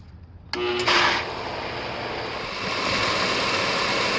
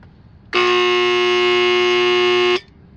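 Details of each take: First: Pool pump that only hummed and clicked off, after swapping in a new run/starter capacitor: it clicks on, whirs up briefly, then settles into a smooth, steady rushing hum, running normally. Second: here's what the pool pump sounds like when you're trying to start when the bad starter capacitor or run capacitor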